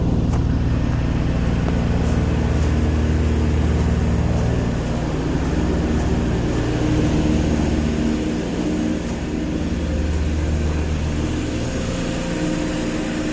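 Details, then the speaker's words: 50-ton Carrier air-cooled chiller running; deep steady low rumble and even whoosh of big fans, audible but no harsh rattle, not hard on the ears; normal running. "This is a big unit. You definitely hear it, but it's not like a harsh rattle. So it's not hard on the ears."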